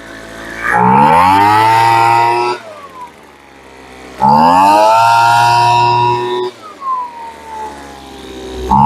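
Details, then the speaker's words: Roadside-found Troy-Bilt TB25C two-stroke blower (about 25cc assumed), started with primer and choke: it revs cleanly to a high buzz, holds steady, then drops back to a settled idle each time. It runs normally. "Okay. Choke. Oh, it idles now."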